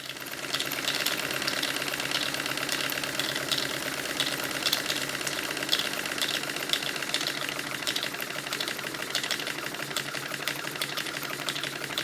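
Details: Stuart triple expansion model steam engine on live steam, with cylinders warm from the previous run: steady, quick light clicking from the vacuum pump and water pump over an even running beat, which is normal.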